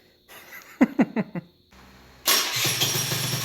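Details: Honda Elite scooter, first run after replacing failed stock ignition and stator: a few clicks and knocks, then catches and runs with buzzy steady note rising with throttle, running cleanly.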